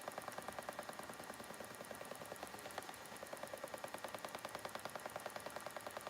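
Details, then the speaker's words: A spinning wheel spinning Shetland wool to lace weight, with the speed turned up a little, makes quiet, rapid, evenly spaced clicking that keeps pace with the wheel's rotation. The cause is unknown, and removing the orifice is being considered as a test. "Listen to that clicking noise. I'm not sure why it's doing that."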